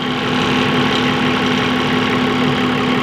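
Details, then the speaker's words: Mitsubishi 5-ton diesel forklift that kept stalling while driving: after swapping out the suspect fuel pump, it starts without priming and idles steady, smooth and even with no noise. This confirms the old pump, which returned slowly when primed, was faulty. "teman-teman Dengar normal teman-teman ya tidak bunyi berisik seperti yang kita temukan di pompa inias kita pasang"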